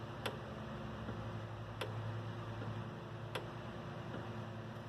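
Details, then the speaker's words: Single-speed filter pump won't start: with the front panel off, the filter relay clicks sharply every second and a half over a steady electrical hum as the coil moves the contacts, but the pump motor never runs. "you can hear a noise clicking there's a little clicking noise of the coil moving the contacts back and forth"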